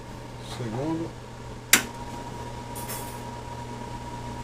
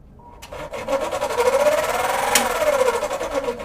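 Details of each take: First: Cadence kitchen range hood extractor fan after cleaning out dirt and repairing a pressure-switch hose; it was noisy and not sucking before. Now a steady clean hum with switch clicks as speeds step up, no scraping. Fan running normally, fixed. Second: Cadence kitchen extractor hood, speed one: wavering motor hum under harsh rapid scraping, something rubbing the fan impeller, unit vibrating and not sucking; usually dirt or dirty oil binding it, cleaning with WD usually fixes it.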